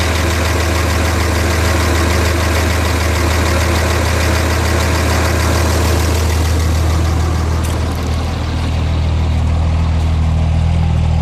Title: Rough idle 6.7